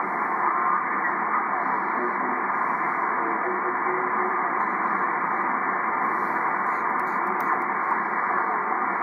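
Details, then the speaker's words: Early Drake R4C tube receiver with 6HS6 mixers, dirty with bad switches, on 20 meters before cleaning: steady band hiss with garbled sideband voices coming through clearly; receiver working, normal reception. "anyway yeah it does work i hope i don't ruin it cleaning it but i'm gonna clean this thing like crazy"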